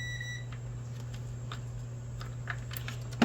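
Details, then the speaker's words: Ninja Foodi smart lid, multimeter on lid switch in pressure position: short clear high continuity beep over steady mains hum; normally-closed switch is closed and conducting, working as it should. "you hear the sound that mean the button is [Music] working"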